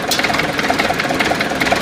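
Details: DT-75 tractor diesel engine at idle: sharp metallic taps about ten a second ride over the idle rumble; engine knock, source undetermined.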